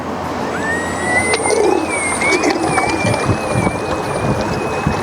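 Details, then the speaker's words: 3D-printed Ardupilot RC offshore power boat on sea trial with lighter battery in new position: rising electric whine into high tone with uneven surging and splashy roughness; propeller still cavitating, more rear weight suggested. "And what's cavitation for people that don't know? It's when the um propeller's coming out of into an air pocket. Still sounds like it's cavitating."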